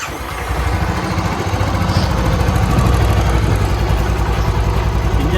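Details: Royal Enfield Classic 350 idling after head work (worn valve guides fixed, tappets adjusted, timing set) that cured a loud top-end knocking: even, steady single-cylinder thump with no tapping or clatter; quiet, healthy.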